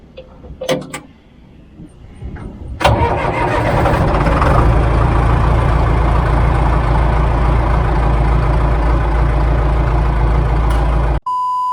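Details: John Deere 410 backhoe diesel, first start after a complete engine rebuild, in the cab; a few seconds of cranking, then it catches cleanly and settles into a steady, even idle of about four pulses per second, with a normal start.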